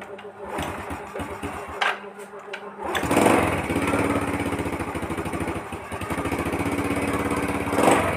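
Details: Yamaha Vega R New motorcycle that would not start despite good compression; after a part was cleaned (carburettor with water ingress from rain suspected) it restarts: clatter and handling, then the small single catches and runs quick, slightly rough but steady.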